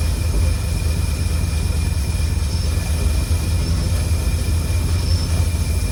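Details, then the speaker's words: 1952 Cadillac Series 62 barn find V8, revived after sitting for decades, idling after the fuel tank was refilled and the leak fixed: a low, steady idle rumble with no whirring. The earlier whir went away once the generator was oiled. Normal idle. "And I put oil in the alternator or generator, whatever it is. So, it's definitely that that was making the noise. Boy, it sounds beautiful."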